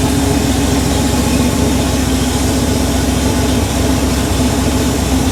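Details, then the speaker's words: Rebuilt Porsche 911 3.2 Carrera engine, second or third start, cold, slightly rich. Smooth, even flat-six burble at idle with no tapping or knocks until shut off; no smoke, great cold oil pressure. Normal idle. "And as you can see, it runs beautifully. It starts great when it's cold, doesn't blow any smoke."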